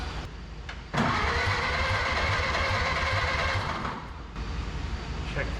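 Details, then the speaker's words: Barn-find 1930/31 Ford Model A coupe, unused since 1964, cranking with throttle given and plenty of spark: a steady churn about four beats a second for three seconds with no firing. The updraft carburetor is suspected of not pulling fuel because compression and suction are low. "so that's the problem with these updraft carburetors is you got to pull the fuel into the cylinder or with a downdraft just gravity is right into the cylinder"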